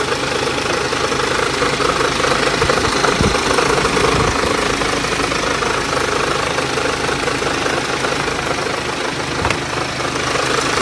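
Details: BMW X1 23d with N47S D20 diesel at low rpm: loud, uneven knocking at roughly 220 per minute over a rough low-speed run; strange engine noise, cause unknown.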